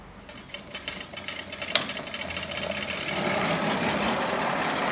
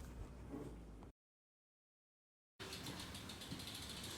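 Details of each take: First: Trek Rail e-bike rear hub spinning up: loose, harsh rumble with uneven knocking from rough, worn rear hub bearings (Bontrager hub, Shimano freehub body), described as sounding dreadful. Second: Trek Rail e-bike rear wheel after rebuild into new Hope Pro 4 hub, replacing freehub damaged by loose end cap: quick even tick about four clicks a second, no rumble; healthy freehub.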